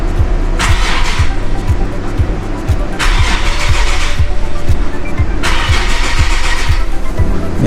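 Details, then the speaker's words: Nissan 370Z VQ engine after a 30-row oil cooler install, camshaft position sensors unplugged to prime the oil: starter cranks steadily at about two and a half beats per second and the engine never fires; no codes were stored afterward. "definitely doesn't want to start so i'm only going to do that a few times i think that should be enough"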